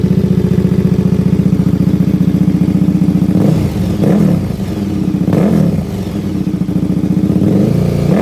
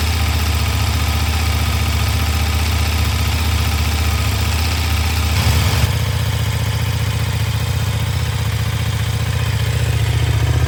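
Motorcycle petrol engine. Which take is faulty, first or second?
first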